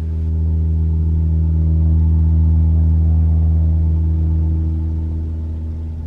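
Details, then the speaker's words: 2021 Toyota RAV4 Prime SE cold start at 49°F: loud steady low drone like a held horn note, swelling then fading over several seconds while warming up; abnormal heat pump noise, present since new, taken in for warranty service. "that's that annoying loud noise all right when when when you're trying to to warm your RAV4 up when it's cold"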